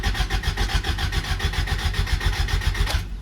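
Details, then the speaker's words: Acura Integra bought with a suspected misfiring engine, no fuel or spark: steady starter cranking at about four compression beats a second, never catches, no fuel; fuel pump suspected failed. "a good sign I'm turning over he ain't got no gas in it"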